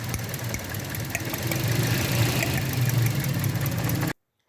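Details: 2012–2014 Toyota Corolla petrol idling with uneven lumpy misfire; cylinder 2 plug blackened, fuel pump and injectors fine; faulty ignition coil found, replacing it cured the misfire.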